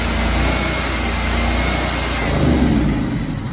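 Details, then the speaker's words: Honda GX630 small engine, reference healthy sound; steady, even note with smooth low hum at constant speed, no knocks or surging; normal running. "All right, healthy engine sounds like this."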